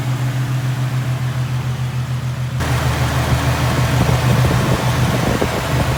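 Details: Infiniti/Nissan VQ37 (Q50/G37/370Z) after a serpentine belt replacement with a Gates K070795 belt: the engine catches and settles into a steady, even idle with a low smooth hum and no belt squeal or chirp; normal idle.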